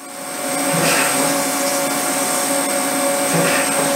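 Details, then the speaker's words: 1/8 inch flat end mill screeching while milling the screw-guide section of a first injection mold for a Morgan G-100T press; steady high spindle whine with sharp ringing tones as the small cutter chatters. "this is using the Longbeach 1/8 inch flat end mill and if you listen you can hear these screeching"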